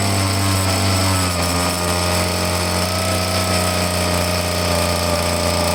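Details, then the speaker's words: Small handheld two-stroke leaf blower at full choke after purging: flat droning at one speed with slight wavering, never climbing in pitch; rough running, won't rev. Owner suspects the carburetor and plans to take it apart. "It's no good. Alright, it's no good. I'm gonna have to take the carburetor apart and see what's going on with it."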